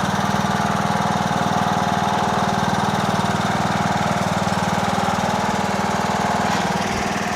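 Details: Toro Wheel Horse 1638HXL hydrostatic lawn tractor after finished repair: steady even single-cylinder-style thump at constant engine speed, no knocks or surging; transmission runs great, normal healthy running.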